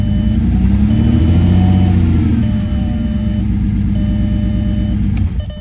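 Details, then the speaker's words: Rebuilt VR6 engine, first start after installation, throttle blipped: strong, smooth note rising and settling, steady firing with no knocks or rattles; gauges responding, sounds healthy. "Yes, sir. Thank God. I think that's going to be a runner."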